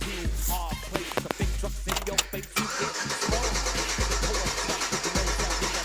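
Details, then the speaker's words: 2004 Chevrolet Silverado "Truck Norris" with BTR camshaft, sat since Monday; starter cranks in even rhythmic pulses, stops, cranks again, never catches; crank no start, fuses and relays checked, owner concludes it is fuel related. "all right so see she's turning over won't start up"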